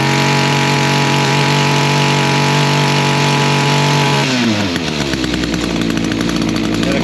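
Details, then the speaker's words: Echo string trimmer after carburetor adjustment to restore full throttle: high steady scream at full throttle, drops cleanly to an even idle without stumbling, head not spinning at idle; runs properly. "And your idle has to be checked. It's a nice good idle. Uh the head's not spinning or anything. And then you go to high"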